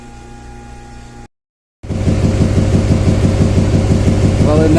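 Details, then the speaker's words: 2007 Chevy Silverado 2500HD 6.6 Duramax LMM diesel, which had CAN bus no-communication problems, starting with the key: a lumpy, pulsing idle at about three beats a second that loses rhythm. Significant misfire; a valve train problem is suspected, with injector kill tests following. "it now starts and runs normally with the key. You can hear it running poorly."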